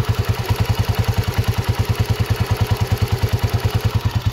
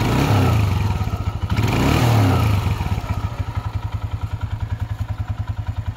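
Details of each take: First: Honda CG125 single at idle with sharp regular tappet ticking; head rocker and CDI unit to be replaced. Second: Honda CG125 single-cylinder after restoration and upgrades: quick blips settling into an even beat near 200 per minute, no top-end ticking; previous tappet noise gone, healthy quiet engine.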